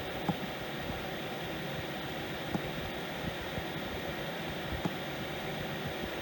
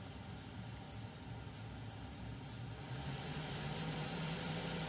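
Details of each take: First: 5 kW Chinese diesel heater that is hard to start, on a weak battery; steady fan hiss with a pump tick about every 2.5 s, then the blower drops away with a low-battery error; startup failure and shutdown, insufficient battery power suspected. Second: 5 kW Chinese diesel heater after fixing hard starting from a weak battery and a pump problem: steady low combustion roar with a faint rising hum and even pump tick once lit, smoking a bit; normal running.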